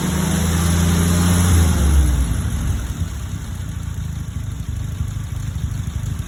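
Engine settles from a brief high idle into an uneven, lumpy beat with a wavering rhythm, typical of a vacuum leak upsetting the mixture.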